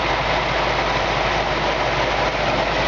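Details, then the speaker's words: Restored 1965 Ford Mustang convertible with original Ford air conditioning: steady, even idle with a smooth low hum, compressor running quietly with no click or knock typical of old unrestored compressors; normal A/C compressor operation. "like I said it was restored you can hear a lot of times these old compressors when they're old and unrestored you know they got a click or a knock to them"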